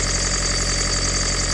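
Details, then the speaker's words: Sailboat diesel with Balmar alternator, after full service: steady high-pitched squeal over even running; suspected mismatched belt, Bando 480 J10 with squarer grooves versus Gates 480 J10, unconfirmed. "we had a mechanic in to help us with the engine, did full service, seemed really simple, and then the alternator squeaked like crazy."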